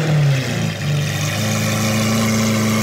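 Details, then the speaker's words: Lamborghini Aventador SV V12, rolled-over wreck being rebuilt, idling at first startup with damaged wiring; deep, steady smooth rumble, no more hiccuping, no stumbles or misses; normal idle. "but it sounds way better now it does yeah it literally no more like hiccuping or anything like that sounds really smooth now it's crazy"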